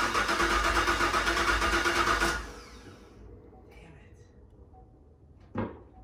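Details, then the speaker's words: 2019 Camaro SS with Whipple 2.9L supercharger, LT4 injectors and low/high side pumps, flex fuel kit, fuel low: starter cranks about two seconds, never catches, no fuel pump hum heard; pump wires in trunk found crossed and swapped. "let me try one more time thing is i don't hear the fuel pump going yeah i don't hear the fuel pump like climbing here we go i still don't hear the fuel pump come on"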